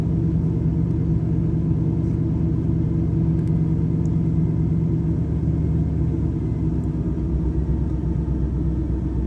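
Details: Chevrolet Camaro IROC-Z, warm engine, rough idle and stalling. Low, rumbling V8 idle with an uneven lope, some beats stumbling and dropping out; no clear cause.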